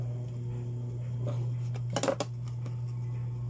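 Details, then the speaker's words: Dowell electric fan motor after adding a washer to replace the worn thrust washer: low, even hum with no rattle or buzz, one brief handling click; spins smoothly, running normally. "Maugong na siya, wala na siyang ugong guys, wala na siyang ingay. Garalgal, wala na. So tingnan nyo guys. Ganda ng ikot niya guys."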